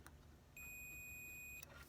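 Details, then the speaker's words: 2001 Toyota Sequoia with 217,000 miles that sputtered and died: a continuity tester gives a clean, high, steady beep for about a second, then silence when disconnected. The fuel pump relay circuit tests good; the fuel pump is intermittent. "so the question is is it getting continuity when we do that so i'm going to hook up one side there another side here and i got a beep"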